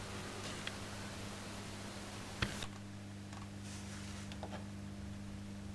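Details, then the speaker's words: Late-1965 (believed) Marshall JTM45 Super 100 guitar amp after recap and adding an earth bond; faint steady low hum with soft higher buzz, about 75% lower than before; low residual mains hum, acceptable. "there you go that's like 75% down on what it was still there but that's very very acceptable"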